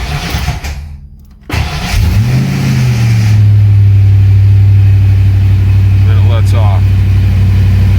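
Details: Fox Body Mustang after fitting a high-torque mini starter wired a shortcut way: engine fires, but a steady drone hangs on as the starter stays engaged after the key is released; ignition switch or bad starter suspected, not confirmed.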